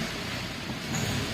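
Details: Renault Sandero Stepway 1.6 automatic, about 120,000 km, after repair of metal-on-metal vibration noise: engine holds a steady, even hum in reverse with no knocking or clatter; normal running in gear.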